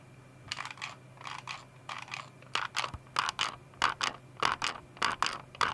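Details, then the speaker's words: Logitech G305 wireless mouse, left button double-clicking after about a year and a half of use; squeezing the sides produces short bursts of creaking and rattling, about one and a half per second, from a loose, flexing shell: poor build quality. "anyway the last problem that i have with this mouse is the build quality as you can hear and from the sides"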